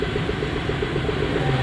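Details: Renault Kwid with check engine light and cylinder 3 misfire, still present after fixing wiring and connectors: the idle stumbles evenly every cycle with an uneven beat; low compression on cylinder 3 is suspected, with a compression check planned.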